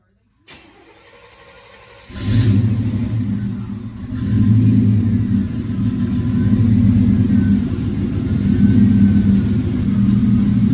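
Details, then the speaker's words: 1954 Studebaker Champion gasser with new true dual exhaust and 3.5-inch stainless tips: starter whirs, engine catches into a deep steady rumble swelling smoothly with throttle, no rasp or ticking; good, not obnoxious, normal exhaust. "Good deep rumble, just like we wanted. Nothing crazy obnoxious."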